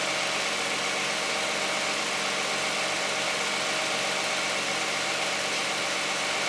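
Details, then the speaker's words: Cold start of a 2010 Toyota Camry 3.5 V6 with 93,000 miles on Pennzoil Ultra 5W-30 synthetic and a Wix filter: even, quiet idle with a light, steady valvetrain and injector ticking hiss and no knocks, healthy while warming up. "This is going to be the cold start and running of a 2010 Toyota Camry V6 with 93,000 miles, running 5W-30 synthetic Pennzoil Ultra with a Wix Ultra filter, and we're going to see what it sounds like."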